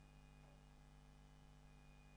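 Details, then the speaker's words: Commodore 128DCR power supply reinstalled after repair, with -12 V, 5 V and 9.4 V AC all correct: a steady low buzz with a faint thin whistle from the small power-supply coils. Harmless, just an annoyance. "i think it's this little coil here yes this coil is buzzing away as is all these coils in here oops and it's not a big deal it's obviously working just fine it's just kind of more of an annoyance"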